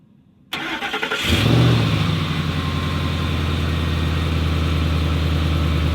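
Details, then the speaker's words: 2005 Ford F-150 Triton after replacing the rotted starter wiring harness that caused intermittent power loss: short brisk crank, catches cleanly and settles into a smooth, deep, even idle with no stumbling. "Well, that is all, folks. She starts."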